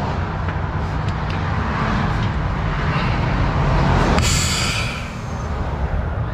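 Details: Heavy diesel rumble, then a strong sustained hiss under a second as air feeds to the trailer on a 40-tonne lorry during motorway recovery; normal air brake line charging.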